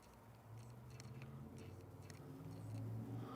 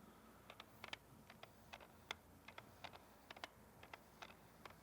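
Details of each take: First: F-mount 20mm lens adapted via FTZ adapter on Nikon Z6/Z7: faint brief whirs and soft clicks as focus moves, still makes some noise but quietest of tested lenses; normal quiet autofocus. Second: Nikon 70-200 F-mount lens on a Nikon Z camera via the FTZ adapter, held up to the microphone: sharp irregular clicks and ticks, several a second, from the older focus motor hunting, much louder than a native stepping motor.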